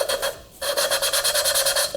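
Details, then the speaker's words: LS3 cylinder head valve being hand-lapped with fine paste after coarse paste: a quick back-and-forth rasp at about nine even strokes a second, a finer scratch than with coarse paste. This is valve lapping. "you can hear the difference in sound and there we go we can see with the fine done how good it's looking"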